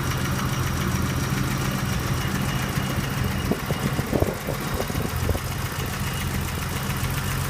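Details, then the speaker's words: 1983 BMW 635CSI straight-six (manual transmission), idle, new plug leads, fan replaced a couple of years ago; steady, even idle with a soft busy top-end tick, no hunting or dips. Ticking over nicely. "you can uh hear that the engine's ticking over nicely there's no hunting no idling issues"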